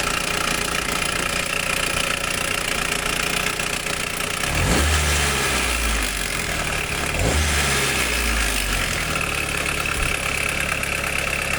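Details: 1991 Nissan Primera P10, GA16DS carbureted engine, carburetor previously damaged by a mechanic: a busy metallic rattle at idle that continues through two quick revs. Engine rattle at idle; a bad timing chain is suspected.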